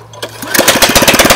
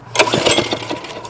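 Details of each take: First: 2001 Briggs & Stratton OHV 5 hp chain-drive rototiller, running without a muffler after too-tight valves were adjusted: loud, sharp, even single-cylinder firing at steady speed. Fixed; normal running. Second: 2001 Briggs & Stratton OHV 5 hp chain-drive rototiller being pull-started with the choke on. A few sharp pops and backfires out the tailpipe with no catching. No compression; the owner suspects misadjusted valves.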